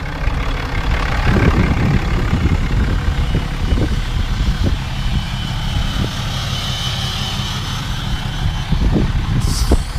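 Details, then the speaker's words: 2018 6.7 Cummins diesel right after a fuel filter change, started after priming the lift pump three times; low, even idle rumble with no knocks, misses or hunting. Running smoothly. "so far so good seems to be running relatively smooth as of right now"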